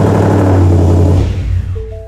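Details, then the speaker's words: 2017 Ford Mustang S550 with MBRP exhaust, new freshly charged battery; engine catches, idles a second or two, then dies after three seconds with dash chimes, because slow battery drain over winter blanked the PCM, later rewritten and tune reflashed. "we go runs for three seconds dies"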